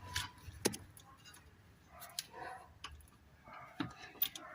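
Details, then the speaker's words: Volkswagen with suspension knocking despite replaced shocks and control arms: loose brake caliper rocked by hand gives sharp irregular metallic clunks from worn guide bushings that need replacing. "Mas vocês vão ver aí o barulho que faz ó a pinça de freio ó ó a f tá com a folga ó entendeu galera essa aqui ó tem que trocar os embuchamentos dela tá com uma folga tremenda"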